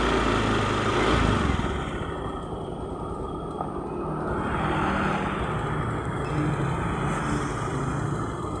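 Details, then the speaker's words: Honda Beat fuel-injected scooter with rough starter, complaint of stumbling on initial throttle; engine catches and runs unevenly, beat wavering instead of settling; no stored fault codes on scanner; hard starting and rough running. "motor udah dalam kondisi belum pakai motor tidak itu normal ya hidupnya ini agak merebet"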